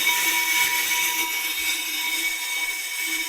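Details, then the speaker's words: Pro-Cut 9.2 DRO on-car brake disc lathe, switched on and feeding the cutter toward the hub to set depth of cut: an even high hiss with a few thin steady tones and no chatter or grinding, so the lathe runs normally. "I'm going to turn the machine on. We're going to run in towards the hub now"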